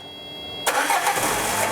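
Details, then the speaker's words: Peugeot Partner, TU5 JP4 engine, with a direct positive feed jumped to a fuel pump that had low voltage: a quiet hum, then the engine catches abruptly and settles into a steady, even run. "Ó, tá aí, ó. Nós temos um positivo aí, ó. O carro tá funcionando perfeitamente."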